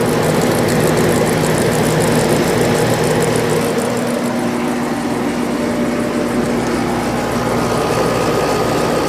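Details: Sharp window air conditioner at its spring 2020 first startup after winter storage: steady even compressor and fan hum, low drone and airy rush, no rattles or knocks. Still blows cold, not low on refrigerant; runs normally.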